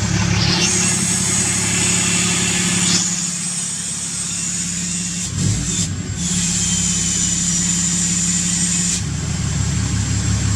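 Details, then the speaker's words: 6.7 Cummins diesel with 5-inch straight-pipe exhaust, just after HPP EFI Live tune install, first start with exhaust brake on: even diesel clatter under high steady turbo whistle that briefly drops out; healthy idle, sounds like a jet. "Wow, that sounds like a jet."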